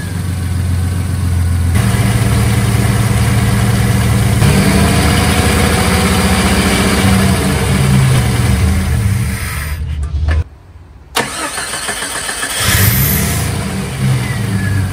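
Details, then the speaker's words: 1990 Jeep Comanche Eliminator that had been misfiring as if down a cylinder, after parts replaced and throttle body work: deep, slow idle surging and dipping, still too low and slightly rough, but running much better, picking up with throttle. "well we'll give this a shot still idle's too low but it's running a heck of a lot better"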